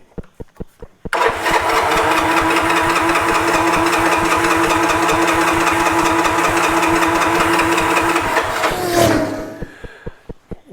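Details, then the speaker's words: 1986 Honda TRX 125 ATV, contaminated fuel, cranking: steady starter pulses about four a second for eight seconds, no firing, winding down; not picking up fuel from the float bowl. "It's not picking up out of the float bowl."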